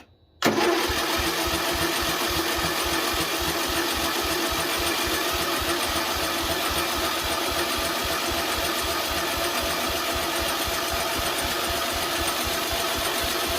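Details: Project riding mower engine after carburetor, solenoid and linkage work, on choke: engine catches at once and settles into a quick, steady, even beat with no misses; runs cleanly.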